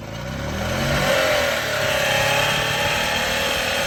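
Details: EZGO TXT gas golf cart: small engine revs up and settles with a harsh, gritty grinding from the clutch/drive; cause not pinned down.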